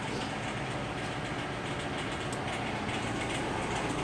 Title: Lexus LS460 clicking noise